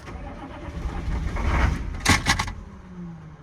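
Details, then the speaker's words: 2000 Chevy C3500 6.5 turbo diesel that shut down while being power washed: the starter cranks under two seconds with no firing while the wait-to-start light flashes and clicks. Owner suspects glow plug relay; cause not confirmed. "Tried to start It's trying to start. Maybe we jump the glow plug relay and see if it'll start it."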